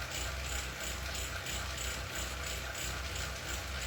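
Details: Wahoo KICKR CORE trainer with Zwift Ride, strapped to a rocker plate: sharp clicks about 1.5 times a second over the trainer's low steady drone while pedalling; a known issue, and the unit was later replaced.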